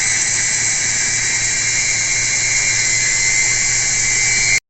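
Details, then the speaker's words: IFB front-load washing machine after a repair for not draining, running in spin mode at maximum speed: steady high motor whine holding one pitch, no scraping or crackle; spin works fine with no complaints. "Spin മോഡിൽ വന്നപ്പോൾ speed ആയിട്ട് work ചെയ്യുന്നുണ്ട് കേട്ടോ അപ്പൊ complaints ഒന്നും കാണുന്നില്ല"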